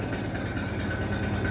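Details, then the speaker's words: Minneapolis Moline BF tractor after in-frame rebuild for blow-by, idling without exhaust or muffler, possibly not yet warmed up: loud raw open idle with an even beat, no knocking or misfire; healthy. "So that's what she sounds like without the exhaust and idle, without the muffler, I mean. I don't think it's just warmed up yet."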